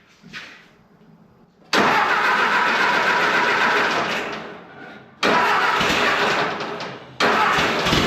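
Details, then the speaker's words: 1950s–60s "doodle bug", possibly a former golf-course or highway mower, refilled with about 2 gallons of coolant, water pump not turning, head around 180°F. Fires up and settles to an even idle; oiled rocker arms run quiet with no top-end tapping. Normal idle, quiet valvetrain. "We've got oil with all the rocker arms. They're running quiet. Yeah, this is not too bad."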